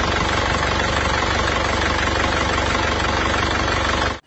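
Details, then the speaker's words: Isuzu Panther diesel on arrival, its engine rebuilt about a year earlier but still blowing by and burning oil. A rough, loud idle with a heavy breathy clatter and chuffing: blow-by. "bagaimana sebelumnya mobil ini sudah diperbaiki di Jakarta ee hampir 1 tahun yang lalu tapi Sejak saat itu mobilnya itu tetap ngobos dan Uli juga boros nah ini kita tunjukkan dulu saat datang kemari itu ngobosnya itu seperti"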